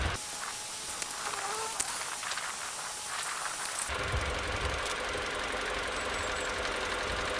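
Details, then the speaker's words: Mini Cooper engine idling after a single-cylinder misfire was traced and fixed, with everything back in position: a steady, even idle hum with no misses or stumbles, smooth and healthy, before the error codes are cleared. "right well that all sounds fine looks fine everything back in position again nice and steady as it should be"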